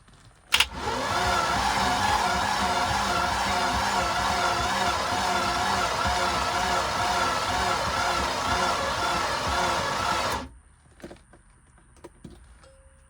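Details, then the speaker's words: 1989 Tige ski boat after years of sitting, first key turn: starter whirs about ten seconds with lazy, labored turning and no catch; engine won't fire; owner suspects a dead battery, spark not yet checked. "Let's see if it'll spin. Key something. Let's see. [Applause] I think that battery is shot."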